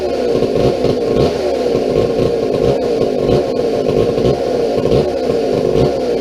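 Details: McCulloch 797 123 cc two-stroke chainsaw, sat unfired for years, fitted with a fuel system and filter: busy even rasp with small rises as throttle is worked, no misfires or stalling; runs properly.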